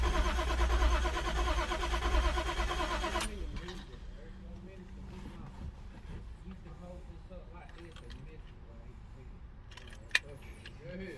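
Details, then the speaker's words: Toyota Supra after sitting since 1995, about half a can of starting fluid sprayed into intake: even, rhythmic cranking about three seconds, no firing or rev rise; cranks but won't start, cause not yet known. "Come on, baby. Nothing. All right, no success."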